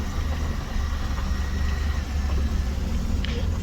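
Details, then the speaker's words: 1990 Dodge Grand Caravan LE being restored, after sitting undriven: low, smooth, even idle with no ticking, knocking or misfire over faint street noise; the owner suspects a sticky power steering rack or pump. Normal idle. "all right look at that well it sounds good just as I left it anyway"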